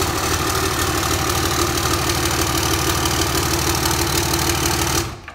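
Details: 5.9L Cummins common rail run on the shop floor on a stand-alone harness and ECM. Smooth, regular idle clatter holds steady speed for about five seconds before shutoff. Normal idle.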